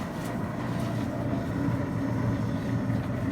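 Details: Maytag LDG312 gas dryer after replacing the gas valve ignition solenoid coils; heat now comes on and cycles. Steady low drum rumble with an even hum, no scraping or thumping; normal dryer operation.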